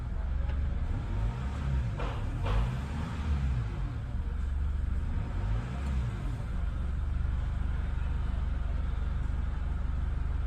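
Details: Chevrolet Cruze that would not start (ignition cut out on button press, only "press brake" shown), after manual ECU/ECM repair: push-button start now brings ignition and engine light; steady, even low idle with no misses, knocks or rattles.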